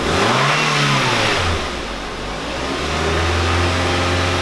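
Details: Korean light car (Kia Morning class) checked for a cold-morning first-start noise: engine revved to 2000–3000 rpm after cleaning the transmission oil filter screen and refilling transmission fluid. It settles into a steady hum with no whine, knock or grinding.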